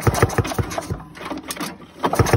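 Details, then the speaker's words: 1987 Ski-Doo Citation LS Electro 250 snowmobile found at the dump, pull-start cranking; good compression pulses but no firing, no spark because the safety key is missing. "that sounds like it's got compression no spark kill switch up"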